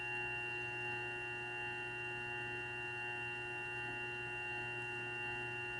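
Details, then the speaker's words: New Grizzly G0758 benchtop mill, low range 50–1,000 rpm, starting near 50 and run up to maximum. Steady clean whine, screaming at max but no gear mashing, grinding or rattles; normal spindle. "so that gives you an idea is the uh noise level it's not too bad when you get it up on maximum it's kind of screaming along there but there's no uh mashing of gear teeth sound or anything like that it sounds quite smooth"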